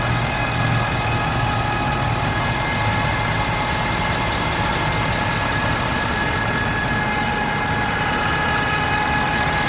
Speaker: is a Ford F350 diesel 2013, making this really whiny ass noise. Only does it when the engine's warm.